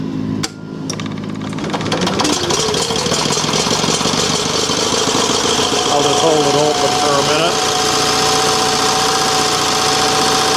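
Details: Revived yard-sale Onan 305 CCK generator, freshly reassembled with a newly painted muffler, warming up: after a brief catch at startup it settles into a smooth, even drone with steady pitch and no knocks or misses; running healthy.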